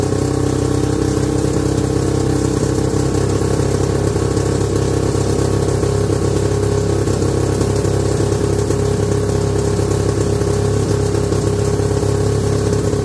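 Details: 1969/70 Sears snowmobile, single-cylinder Kohler two-stroke, sat outside a year, first run after revival: continuous buzzy fairly high thin idle, little low burble; owner says it's sucking air, running lean.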